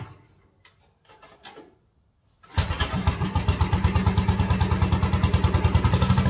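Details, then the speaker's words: 1957 Wheel Horse RJ35 tractor, total cold start after sitting about one to two years: engine catches at once and settles into an even single-cylinder putt, no smoke; carburetor may need a little adjustment; healthy cold start. "That was a total cold startup. This tractor hasn't been run, and I think this is a year."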